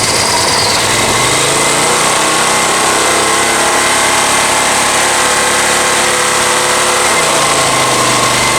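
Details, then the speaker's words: Honda EX1000 generator after carb cleaning, air filter off, a heater just switched on as a huge load spike: loud, rough, uneven drone that sags and never picks up, idle dropping; the heater still runs. Engine labouring under load. "Come on, come on, you can do it. It's power on my heater. Working, my heater's running. It really drops the idle as I tone this down."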